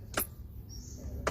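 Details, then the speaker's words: Aftermarket electric power steering, switch turned on: two sharp short clicks about a second apart over quiet background; normal relay click as the electric steering engages, after which the wheel turns easily. "นะมันจะมีเสียงแป๊กได้ยินไหมครับได้ยินเสียงแป๊บนึงที่เราก็ขันบิดพวงมาลัยได้เลยพอมันมีเสียงแป๊ดพวงมาลัยไฟฟ้าทำงานและก็ขับดีนะครับ"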